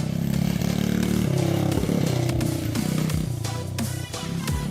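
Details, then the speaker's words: Newly bought pit bike, single-cylinder, just fired up after carb refitted, throttle not yet hooked up: steady unbroken fast idle under loud background music; sounds healthy, normal running. "like it's going pretty good. We don't have the throttle hooked up yet, but see if we can do a wheelie."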